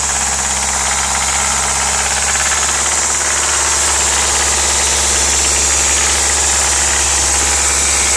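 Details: Audi S3 1.8T 20V turbo engine at idle: busy metallic rattle at a few per second over steady idle; source not pinned down.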